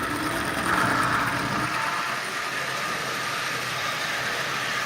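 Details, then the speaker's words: Marx micro motor fitted in place of the original motor in a Santa Fe model train shell, first test run. Thin fast whir with scraping as the larger drive wheels rub inside the shell; the original wheels were much smaller. "you see it works there's no doubt about that but you can hear the wheels rubbing on the inside of that shell"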